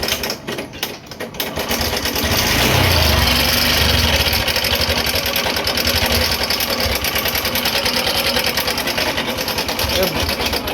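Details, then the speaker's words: Honda Shine BS6 single-cylinder motorcycle idling in neutral before repair: fast, uneven metallic clatter, about three ticks a second, caused by a loose timing chain and very loose rockers. "ये इसकी chain है, ये जो आवाज़ कर रही थी ये इसकी थी। इतनी सारी आवाज़, राकर भी इसके दोनों में बहुत पिले है, इसकी भी आवाज़ है।"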